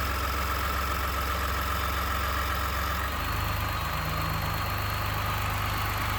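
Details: 29K-mile 2018 Ford F-150, 2nd-gen 3.5 EcoBoost V6, at idle: a loose, uneven rattle of two or three taps a second over the hum. The owner cranks longer to prevent cam phaser startup rattle. Engine knocking at idle, cause not pinned down.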